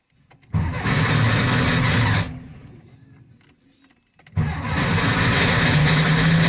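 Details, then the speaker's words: Engine after valve guide and piston ring work, cranked with no throttle to let oil prime and the oil light go out: short crank catches into a steady run, dips briefly, then fires again and settles, a healthy start. "okay let's crank and see if it starts i'm not giving any gas because i want the oil light to go out"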